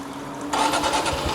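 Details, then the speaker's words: Honda motorcycle, near new, cold start: brief whir, starts first try without throttle, soft steady idle like a brand-new bike, no white smoke; healthy cold start. "นี่ฮะทีเดียวติดครับไม่ต้องบิดเครื่องเร่งช่วยเลยฟังเสียงเครื่องครับนิ่มๆเลยมยฮะมันคือรถป้ายแดงดีๆนี่เองครับผม"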